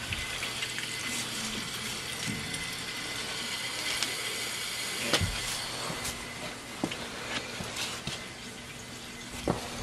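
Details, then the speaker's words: Gurgling, hissing rush with sputtering bursts as air pockets pass through a hydronic heating zone pipe fitted with Taco zone valves, air being purged from the zone; a zone valve head was also found bad. "like there's air in the system"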